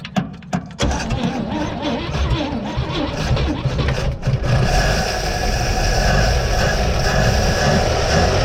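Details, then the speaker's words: 1956 Pontiac V8 restarted after sitting almost 40 years; brief crank, catches and runs at a steady fairly even idle with some clatter, dust blowing; normal start and idle. "oh really good a lot of dust blowing around look at that it's actually addling that is incredible"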